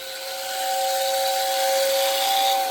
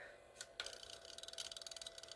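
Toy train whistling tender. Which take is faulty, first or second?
second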